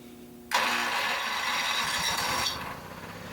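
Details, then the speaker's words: Rusty Honda 6500 W 120 V electric-start generator, refuelled: sudden catch half a second in, then busy steady run easing after two seconds; starts normally, rpm on the high side but running. "and it is running rpm is on the high side but it is running"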